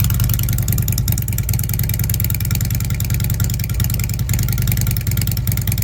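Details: Fuel-injected Harley Ultra: deep loping V-twin thump that picks up cleanly with each throttle blip; healthy, no hesitation.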